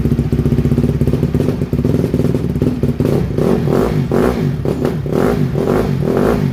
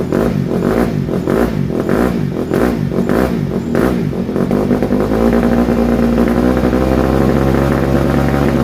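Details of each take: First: 2007 Honda CRF150R single-cylinder dirt bike, just reassembled, cold: stumbles and bogs on each throttle blip instead of picking up cleanly, a cold flat spot; no smoke, choke doesn't help. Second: 2007 Honda CRF150R single-cylinder dirt bike after reassembly, choke off: a few choppy blips settle into a smooth, even beat with no misses or knocking; runs cleanly, though the carburetor still needs fine tuning.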